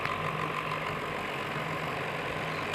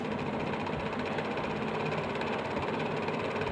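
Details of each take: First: Table fan after its rubbing body was realigned and retightened: a steady, even motor hum with a light whir and no rattle or scraping; the sound is completely fixed and the fan runs normally. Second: Table fan running with a fast, loose khat-khat rattling knock over the motor hum, typical of a worn front bushing letting the shaft play.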